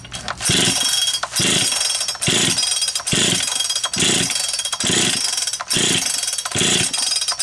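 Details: Rebuilt Poulan Pro 405 Plus two-stroke chainsaw, first test run after full assembly, not yet tuned: high, buzzy howl pulsing about once a second, holding on its own; fires and keeps running.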